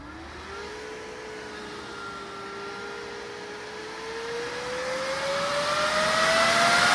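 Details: Budget RGB PC case fans, non-PWM two-wire, not motherboard-controllable, running flat out: steady rising airy whoosh with a climbing tone, no speed control; loud case fans at full speed, before slowing modification.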